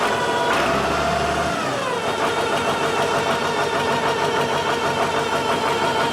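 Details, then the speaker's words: Tractor with 10-66 transmission housing and brand-new MCV pump: as the diesel fires and settles, a steady high whine rides over the clatter; suspected MCV pump gears of different pitch, not confirmed. "that's gonna give her a drive you hear that wine that's the mcv we think because this tractor's got a 10-66 trans housing the gears are the same but there's different pitch on them that's why it's making all that noise cause we've got a brand new mcv pump on it"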